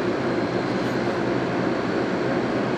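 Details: GE 9900 BTU 115 VAC window air conditioner, model AJCS10ACAM1, first run in almost 10 years, on cool: steady, even fan rush over low compressor hum, no rattles or surges, air getting cold; normal running.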